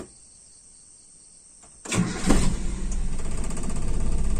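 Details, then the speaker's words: Toyota Kijang after ignition timing (distributor) and air adjustment: starter whirs, engine catches and settles into a slow, uneven idle noticeably too low; loose window glass adds noise. "ini terlalu rendah ya Mobil saya ini sebenarnya Enggak juga ini jangan patokan suara ini ya"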